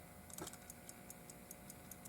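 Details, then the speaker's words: Antique clock after reassembly, wound and run overnight: crisp, even ticks at about five a second with a steady beat and quiet background; running healthily. "and you can hear the ticker tick. And I wound it up last night, let it run all night."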